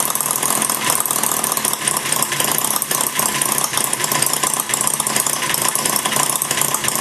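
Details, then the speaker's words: Maier TA4 after tuneup, warm, idling low with the flywheel carrying it through: light rapid ticking patter, firing every time with no missed beats; normal idle. "i need an idol pretty much lower than that flywheel carrying through it's a nice little idol there you know it's running real uh firing every time"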